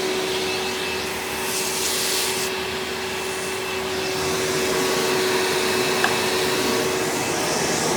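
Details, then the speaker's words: 1997 Hoover Dirt Finder Power Drive U6331-930 direct-air upright vacuum in tool mode with onboard hose, dusting: steady, even motor whir with mid-pitched tone and airy hiss, no flutter or scraping; very smooth runner, normal running. "so man this vacuum is such a smooth runner honestly is better than even my red power drive supreme"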